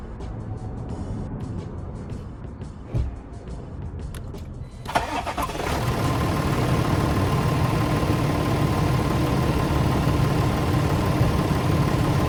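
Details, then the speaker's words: Car started during a TOPDON battery tester cranking test (battery judged good but needing recharge): quiet clicks, then the engine catches promptly and settles into steady idle; cranking normal, voltage dipped to 10.37 V; normal start. "rpm detected it does a test automatically once it's picked up that the car started okay"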